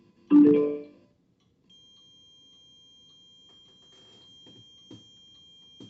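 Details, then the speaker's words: Bluetooth transmitter for a record player lacking a GND isolator: faint steady high whine with low hiss and occasional clicks, ground-loop noise caused by the missing isolator. "Então esse ruído é justamente por causa da falta do isolador de GND."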